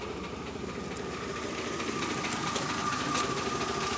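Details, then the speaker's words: Engine heard through the open doghouse, idling in the driveway after transmission fluid was poured into the carburetor: uneven, lumpy idle pulse that runs the same when revved. Some smoke and water loss, rings worn; owner suspects fuel injectors, unconfirmed. "You hear how it's running. I can give it some gas and it'll run the same, just higher RPM."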